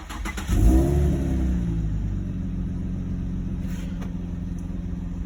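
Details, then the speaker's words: 2003 Infiniti FX35, about 163,368 miles, rear-ended days earlier: cranks and catches then settles into rough, boomy, uneven low idle with odd exhaust-side drone; owner attributes sound to the rear-end accident. "it sounds like that because it got rear-ended a couple days ago so i'll show you all that damage in a second"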